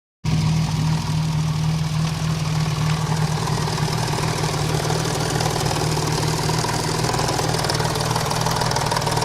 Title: BoB Cosworth engine knocking